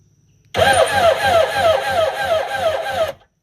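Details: Kawasaki 1100 jet ski with low compression and cylinders oiled, battery reading 13 volts: uneven chugging crank at about three pulses a second that never fires; owner suspects the starter weakens when hot; slow cranking.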